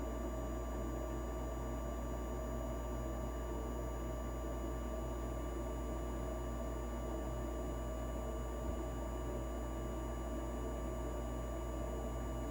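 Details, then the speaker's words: Rheem gas furnace with recently replaced circuit board, water present, earlier code 26, in heat mode: steady, even hum and airflow rush on the slower yellow blower speed, no rattles, bangs or surging; running normally. "36 it's got a three-time coil sounds like the heat's working okay definitely a slower speed that's the yellow speed"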